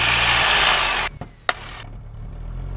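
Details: Light aircraft engine run-up at 1700 rpm, mixture leaned, mag check before departing St. Petersburg: strong steady roar collapses on switching magnetos, sputters and nearly dies; right magneto failed.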